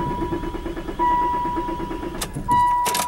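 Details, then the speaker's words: Ford Probe cranks in short bursts with a steady chime but never catches after sitting overnight. It failed to start the day before too, and the owner suspects the distributor, which was sprayed. Primed, three tries, still no start. "nope so it still doesn't start okay just making sure"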